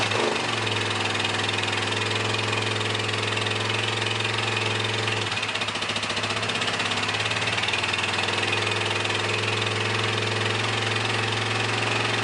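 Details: A Suzuki S50 Boulevard 800 V-twin, believed to be a 2006, that sat for years has a thin, lopsided idle that changes midway, then steadies as brake clean is sprayed into the front carb. It runs only on the rear carb: the front is fuel-starved and the rear overflows, so both carbs must come off.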